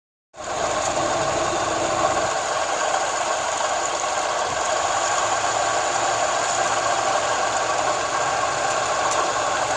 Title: 2004 Forester Weird Noise Under Air Conditioning Compressor